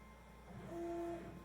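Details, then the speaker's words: Normal CNC axis jogging on an AVID CNC (Mach 4, proximity sensor kit) with soft limits re-enabled after a hard-stop slam: brief clean stepper tone, no clunk or grinding; soft limits keep the gantry from slamming into the stops. "i can start jogging back and forth again so that's that's the reason why you really want to use the soft limits it doesn't slam itself into anything it behaves itself"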